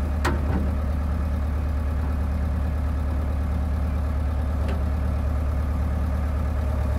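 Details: John Deere 490E excavator diesel with Hitachi hydraulic pump in limp mode, computer bypassed, cable throttle: deep, steady idle with an even beat, no stumbling or bogging; engine running smoothly and normally.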